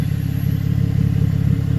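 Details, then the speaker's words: 2014 GMC Arcadia 3.6L AWD, heard from underneath at idle: rapid, sharp chuffing pulses from an exhaust leak where the intermediate pipe flange after the catalytic converter has rotted and separated; fixed with a split flange and new gasket. "Customer complaint is an exhaust noise from coming underneath. Coming from underneath."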